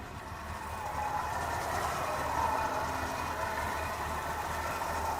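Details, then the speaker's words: 1971 Ford F-250 Custom Highboy 4x4, electric choke, unknown mileage, warm from driving: smooth, steady idle that settles after a short rise, no tapping or misses; runs pretty good, healthy warm idle. "the engine is kind of warmed up from driving down here yeah so it runs pretty good"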